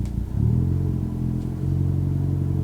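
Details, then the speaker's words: Revo Stage 4 Fiesta ST, 330–350 hp, with new TTV Racing clutch and flywheel, reversing with correct bite point and no throttle: smooth low engine note rising gently as clutch takes up, no squeal or chatter; clean engagement. "I've got a good bite point. So no sound again."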